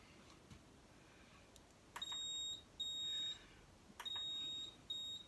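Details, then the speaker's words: AP Valves XPD rebreather handset switched on during pre-dive build: short series of clean, high, evenly spaced beeps as it reports cells, solenoid, buzzer, temperature stick working and batteries freshly charged; normal startup self-test. "And it tells me cells are working, solenoid and buzzer are working, temperature stick are working, batteries are full, so I've just charged them."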